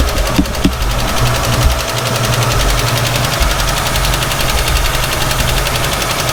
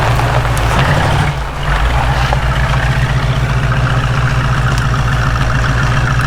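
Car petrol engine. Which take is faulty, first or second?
first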